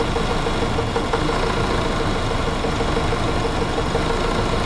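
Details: 2006 Jeep 2.8 CRDi diesel with a charging problem, idling while the battery charges at about 15 amps and alternator temperature drops to around 40: steady, even clatter over a few seconds, nothing irregular; engine sounds healthy.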